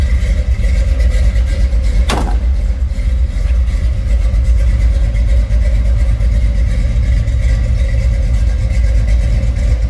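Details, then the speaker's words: 1965 Chevrolet C10 short box V8 with electric fan switched on: deep even rumble with steady fan hum, no knocks or misses; engine sounds healthy. "Let's hear it run. Good sounding truck."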